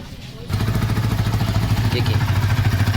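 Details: Yamaha R15 V3 after clutch noise repair, exhaust silencer broken in two pieces: engine fires up and settles into a steady, even idle; no clutch noise when pressing or releasing the clutch.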